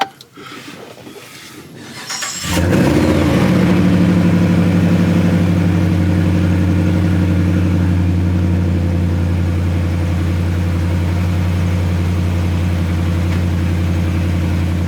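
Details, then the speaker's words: 2016 Ram 1500 after fuel pump replacement (Delphi FG1439) for code P0463, fuel level sensor circuit high, gauge reading about a quarter tank: brief crank, quick catch, smooth deep steady idle without stumbling. Normal start and idle. "so I just wanted to fire it up make sure everything's working make sure the fuel gauge is reading make sure it's starting up and running"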